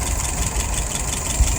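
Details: Restored WO 539S carburetor after testing and adjustment: steady even idle around 630 rpm raised to about 640, float set correctly, no stumbling, misfire or knock.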